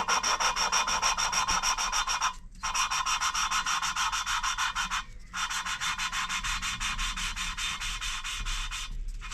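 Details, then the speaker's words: Ford Pinto 2.0L cylinder head rebuild, lapping original valves with coarse grade paste and lube; gritty rasping strokes about three a second, noise continues until the seat is lapped in, then fine grade follows. "Get a little bit of spit on there or some sort of lube, and then whack your little plunger on, and you hear it. Now you want to keep going until there's no sound basically."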